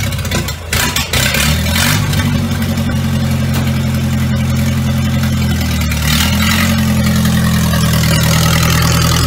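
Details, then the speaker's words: Traditional Ford hot rod ("Doris") brought out of the shed after storage: old engine fires right up into a steady, even idle with a solid low exhaust note, no knocks or misses; normal cold start. "Let's move this old girl out so I can get to the back. You listen to this old girl fire straight up. Nothing like an old banger."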